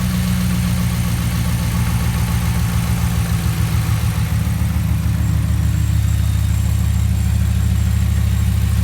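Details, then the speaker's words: 2016 Ram 1500 5.7 V8 after spark plug replacement and oil change: deep, even burble at idle with steady rhythm, no misses or ticks; running smooth. "Let's go ahead and grab the keys and start it up, see what it sounds like. Seems to be running smooth here."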